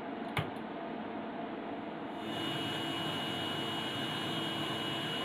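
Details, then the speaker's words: Unitra ZRK Kasprzak AT-9100 receiver, amplifier reported OK, tuner faulty with misaligned input and IF; switch-on click then steady hiss, no station, right channel silent. Power stage may work, something not connecting; tuner needs retuning. "Znaczy szumi, a prawego nie słychać, ale przy włączeniu słychać puknięcie, czyli końcówka mocy może być sprawna, tylko coś nie łączy."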